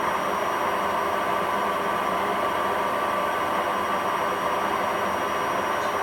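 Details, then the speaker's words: Hotpoint WMA40 washing machine on fast spin after a 60 wash and rinse: steady rough roar with a gritty edge under the drum whoosh from worn drum bearings, though the spin still holds up. "you can definitely hear the bearings but it's handling it okay"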